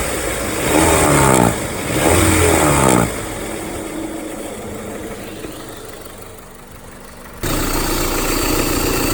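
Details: 2001–2005 Honda Civic LX engine running: fast rattling chatter about four beats a second swelling when revved, strange noise when accelerating; worn-out timing belt tensioner.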